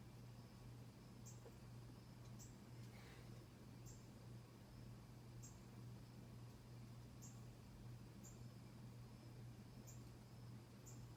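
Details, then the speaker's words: 1991 Casablanca Delta II ceiling fan on high speed: steady low hum with faint regular tick about once a second; typical normal performance. "and here's high typical performance"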